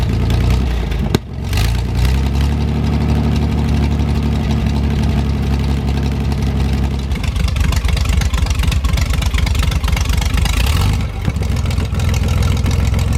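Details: 1973 GMC 432 cu in V6, first run after about 5 years sitting: deep even idle with smooth steady firing and a couple of clean rev blips; judged a nice engine; normal idle with light revving.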